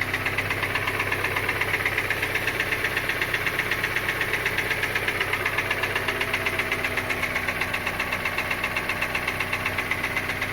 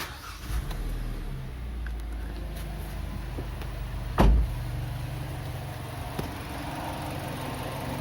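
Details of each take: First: Kia Sportage 2.0 petrol, G4KD engine, 160,000 km, before repair: idling with a steady hollow knock about four times a second from piston slap, a known weakness of this engine. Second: Kia Sportage 2.0 with G4KD engine after an engine rebuild for piston knock (pistons and skirts were worn), first start after reassembly: it idles with a smooth, even low hum and the piston knock is gone; normal idle.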